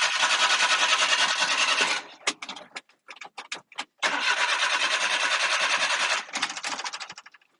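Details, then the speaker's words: Japanese mini truck just imported after eight weeks on the ship, unknown history: long rapid cranking, stutter of catches, more cranking before it fires and runs; reluctant start. "I guess maybe doesn't want to start too well but we did get it started"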